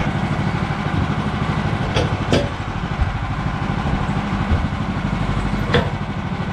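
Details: Bandsaw mill cutting 3/4 x 6 inch boards with a reduced Pine-Sol/water blade lubricant; excess had made the blade slip off the bandwheel belt. Engine holds a steady, even drone under cutting load with only a few sharp clicks; cutting normally.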